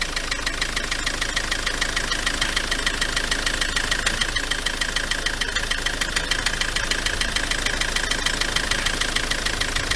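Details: Ford Transit MK7 2.4 RWD diesel van at idle: fast even knocking three or four per second, steady; pulleys fine; cable tie on an injector connector noted; owner suspects the dual mass flywheel, source unknown.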